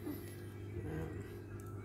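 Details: Timor DOHC (Kia Sephia) after cleaning and setting the ISC idle speed control valve, engine warm with no load: low, steady hum with an even pulse and no hunting, a normal warm idle (target 800–900 rpm).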